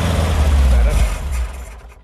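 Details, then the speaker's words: 1970 VW Type 2 Bay Window, 1641cc air-cooled engine, not started for about 6 months, cranked with starting spray: ragged firing pulses almost catch, then it dies; a dirty fuel filter is suspected. "oh come on go just when she sounds like she's gonna"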